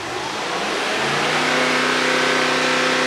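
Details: 2021 Mercedes-AMG GT63 S after full engine strip-down and rebuild, fault codes cleared, held stationary at about 3000 rpm to check whether bank 2 faults return: smooth steady note, no stumble, surge or hunting; runs clean.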